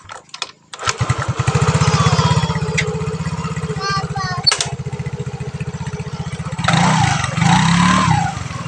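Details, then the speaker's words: Yamaha Mio scooter CVT after greasing the pulley rollers to cure a squeak when revving while braking: even idle then a short throttle blip with no squeak or chirp; normal CVT running. "Ternyata nggak ada bunyi-bunyian kayak tadi pertama ya teman-teman."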